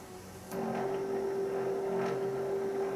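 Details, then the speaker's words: Power antenna on a 1995–1999 Nissan Maxima, radio switched on: steady electric motor hum keeps droning on after the mast stops short of full extension; the mast is stuck and needs replacement. "hopefully you can hear that the motor's still running and the mast you can't see it up here but it hasn't completely come all the way out there we go it's still running"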